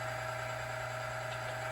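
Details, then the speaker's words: Lubricity test machine comparing oil lubricity with BestLine Racing Diamond Nano-lube: noise gone after a flat spot formed, weights being added around four to six pounds; steady constant hum, no grinding; running quietly under load. "let's let that noise go away so it created a little flat spot so the lubricants in there now doing its job"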